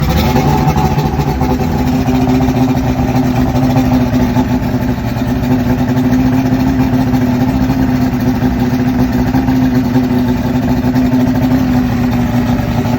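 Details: 2001 Yamaha OX66 150 hp outboard, remanufactured powerhead with 70 hours, on the hose: low, uneven idle with exhaust drone and irregular blurping from exhaust hub, near stalling; fuel pressure steady 36 psi, cause unknown.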